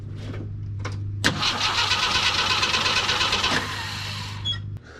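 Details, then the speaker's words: 42-year-old army Jeep, not started since 2009: a steady starter churn with no firing. No fuel comes out of the fuel pump outlet, so fuel is not reaching the pump. The lines or tank pickup are to be checked. "all right so we have no fuel coming out of the fuel pump here which tells me uh we're not getting any fuel to the fuel pump so i'm gonna go under the jeep check the fuel lines"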